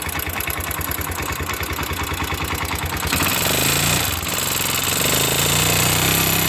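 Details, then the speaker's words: Single-cylinder motorcycle engine has a fast, even light ticking over the idle; rocker arms are worn where they strike the valves and are being repaired. "de esta falla los balancines andan desgastado demasiado en donde cae y eso provoca el sonido que escuchamos al inicio"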